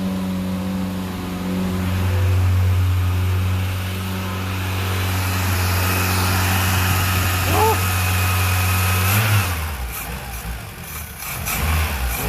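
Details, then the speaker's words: 1975 VW Scirocco with 1.8 engine and electronic ignition, stored 34 years, first start: runs only on throttle, revs wandering and sagging toward stalling, won't hold idle; owner suspects a plugged idle jet, accelerator pump diaphragm also leaking. "I don't own idle yeah it runs I think the idle Jet is plugged"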